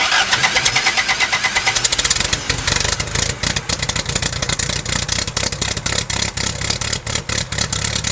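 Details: 1969 Lotus Europa S2 barn find, stored 15 years, restarted on starter fluid and a little gas: catches, quick even beat with strong pulses, no misses; earlier water likely just in the header.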